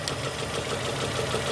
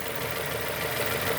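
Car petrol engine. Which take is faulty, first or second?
first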